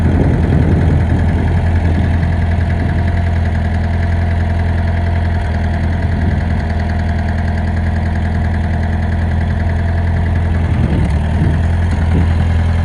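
Steady idle with an uneven low knock, roughly three per second, sitting under the engine note; could be rod or pushrod, not certain. Cause suspected, not confirmed.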